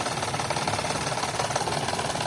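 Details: 2011 Toyota Vitz, code P0303: uneven, stumbling idle with regular missing beat and chuffing pulse; cylinder 3 misfire traced to the cylinder 3 fuel injector pulse wire fault.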